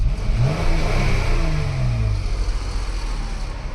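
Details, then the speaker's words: 2017 Jeep 3.6 V6 after rocker arm, oil cooler, spark plug and coil pack replacement: quick revs climb and settle smoothly, no rattle, miss or exhaust leak, check engine light no longer flashes on rev; normal. "that sound like an exhaust leak for a rattle sounds good no usually when I rev it up the engine the check engine light will flash so now she is good"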